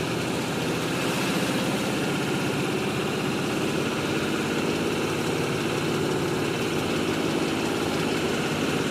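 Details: 2005 Pontiac GTO with LS2 V8, 115k miles, idling steadily with a fast light ticking over the even rumble.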